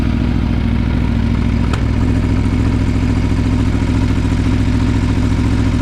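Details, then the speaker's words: Aprilia Tuono V4 idling on first start after valve clearance service and fresh Mobil 1 10W-40 oil: steady even idle with regular low pulse and light valvetrain clatter, nothing irregular; everything sounded good. "okay everything sounded good let's plug this in"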